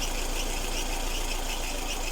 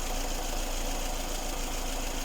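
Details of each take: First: Lada Kalina, engine hot, idling with a steady high whistle from a drive belt; owner sprayed silicone lubricant on it and the whistle seems to have stopped. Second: Lada Kalina petrol engine, hot, after belt sprayed with silicone lubricant to cure whistling: steady low idle rumble with no belt squeal or whistle; normal.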